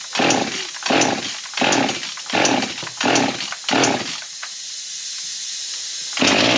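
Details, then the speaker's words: Husqvarna 55 chainsaw, starts but dies, after carb kit fitted: revs in sharp bursts about once a second then sags to a thin weak run and won't keep running; suspected fuel issue. "all right well we're looking like it's a fuel issue so let me do some exploring and I'll bring it back and see what we find"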